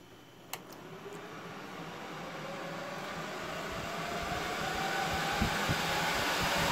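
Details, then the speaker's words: NetApp DS4246 disk shelf with two PSUs, empty, no drives, power-on: fans whoosh up, airy rush climbing in pitch and loudness over several seconds, jet-like, then quietening; normal spin-up, idling around 36 W. "and it's very brief when it fires up and there you can hear it's quietening down now and it does even get quieter than that when it's empty"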